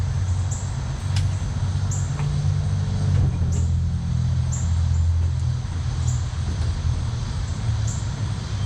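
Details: 1962 Ford F-350 V8, off the road 24 years, engine rebuilt: low, slightly uneven loping idle rumble with birds behind; rough idle, cause unclear.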